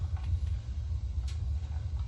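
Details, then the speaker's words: Bradford White Defender gas water heater with Honeywell gas control valve, reset after no hot water: after pilot lit and status light green, valve turned to setting; soft rumble settling into steady flame roar, no popping, main burner lit cleanly. "And now, given that it's on pilot, what you want to do is turn it to the setting and you'll hear it. Yep, there you go."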